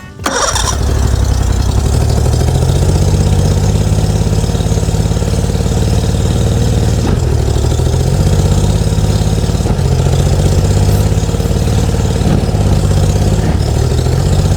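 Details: Stubborn boat engine, started with starter fluid at full throttle after an engine cover adjustment, no backfire. Catches after a quick crank and settles into a steady, even run with no misses; running normally.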